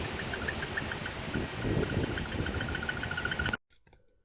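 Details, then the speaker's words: 2005 Chrysler Town & Country with cylinder-specific misfire code: rough, shaky idle with irregular exhaust puffs and squeaky exhaust chirps from one misfiring cylinder; diagnosis by testing coil and spark plug wire with spark tester. "I'm not sure how well the shakiness shows up on the video, but it definitely has a misfire."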